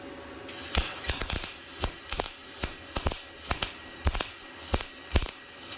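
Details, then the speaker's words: Yes Welder MIG-205DS multiprocess welder, MIG welding with about 0.030 in tip: the arc crackles in uneven bursts, catching then dropping out, an inconsistent arc. "Yeah, did you hear that? It was like it would hit, then it wouldn't, then it would hit, then it wouldn't. Inconsistent."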